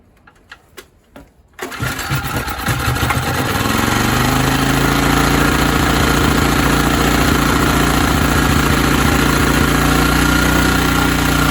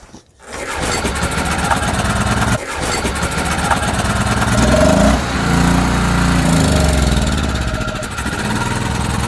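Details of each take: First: ETQ TG3000 3000 W portable generator, no-start, air filter off with spray primer into intake: cranks, catches and climbs to steady hum, runs briefly but won't keep running on its own. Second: ETQ TG3000 3000 W portable generator after servicing, fresh fuel, started on choke with carb spray: rough catch and pickup, then steady small-engine thrum holding as choke is opened fully. Engine starting and running on choke.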